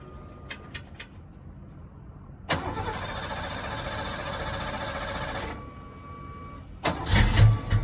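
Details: 1986 Ford Mustang GT V8, reportedly original 40-50,000 miles, long sitting: long cranking before catching, then uneven loping idle that stumbles and surges; misfire suspected, cause not yet found.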